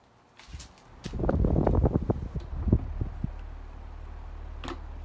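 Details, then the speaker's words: Freshly cleaned Duracraft pedestal fan on low speed: a few bumps and clicks, then a soft, steady low hum with no rattle or ticking; quiet fan, normal running on low. "it's also wait it's actually a pretty quiet fan so I figured this will be a good one for her"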